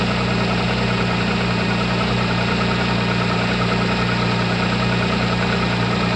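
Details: MG ZS 180 engine at steady idle with a regular knock tapping two to three times a second over the hum; engine knock, cause unknown.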